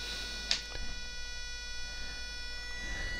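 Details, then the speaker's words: Cheap RC truck (MX1608RX/TX chipset) DC motor with PWM drive rising from 2 of 255, small current: thin steady high-pitched whine of several fixed tones, no turning noise; PWM whine from stalled DC motor. "So 2, and we can start to hear it singing, but it's not going round."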